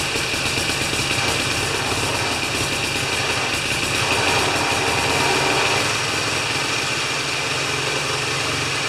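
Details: Older Briggs & Stratton mower after a half-turn adjustment: steady, even putter with bright hissy top end and mild rise midway, holding speed smoothly; normal running.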